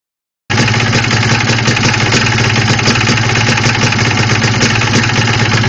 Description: Yamaha Blaster with Piston slap also know as Engine Knock!